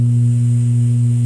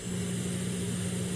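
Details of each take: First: Realistic SCT-34 cassette deck with hum in left channel: loud, constant low hum whenever powered, not a strong AC hum; it later faded on its own, owner suspects a dirty record-play switch. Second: Realistic SCT-34 cassette deck with hum in the left channel on power-up: steady low mains-type hum under light hiss eases off and it runs quiet and even; capacitor reforming or dirty record-play switch suspected.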